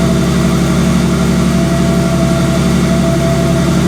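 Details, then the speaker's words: 246,000-mile Ford Sport Trac 4.0 V6 at idle after switching from 5W-30 to thicker 10W-40 oil: steady low hum, faint light tick, no timing chain rattle; tensioner replacement still recommended. "so wow okay first impressions that is the quietest that thing is idle on the engine side since i got it"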